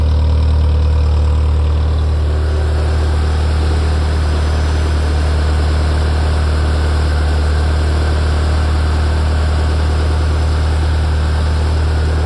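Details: Ferrari F355 engine after the front-of-engine noise heard from tens of seconds after start has stopped: smooth, steady low idle with an even rumble and no knocking or ticking; idle settled and stable.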